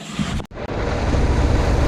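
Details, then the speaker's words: Truck started after attempted theft: short start-up burst then steady deep diesel idle with no knocks or misses, normal idle. "Right guys, as you can see, we got it started, or as you can hear, should I say. We got the truck started."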